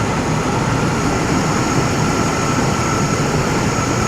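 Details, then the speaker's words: 1998 Chevy C1500 2WD long bed, 5.7 Vortec V8, automatic, idling after revival with a broken hose: steady even idle, smooth low rumble, no knocks, ticks or rattles; some smoke attributed to humid cold air; engine healthy. "This truck doesn't leak anything. It's not knocking. It's not ticking, rattling, nothing."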